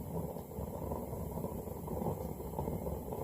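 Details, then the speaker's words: Hot tube burner on a roughly 120-year-old Reid 15 hp hit-and-miss engine, burn test after reassembly: soft, steady low roar of burning fuel with no sputtering or popping; it is lit with a little extra flame out the top, working as intended. "Are you sure it's lit? I can hear it. And there you can see it. Got a little extra flame coming out the top, but it's doing what it's supposed to do."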